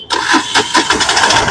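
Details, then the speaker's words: Mahindra Maxmo passenger diesel after repair of a cranking-but-not-starting fault: brief crank, then it catches promptly and settles into a regular diesel clatter, starting cleanly; pickup still to be checked. "ये गाड़ी friend हमारी start होने लगी है तो अब दिखाते हैं गाड़ी में पिकअप कैसा है"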